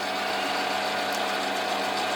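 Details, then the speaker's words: Lathe with centering roller tool (bearing) brought against an off-center aluminium offcut in the chuck: constant spindle hum with faint rubbing roll as the bearing just touches the running-out workpiece, before adjusting jaws to center it. "so you can see it's running completely out so just bring the bring the bearing in slightly see how it's just touching there's the roller starting to run"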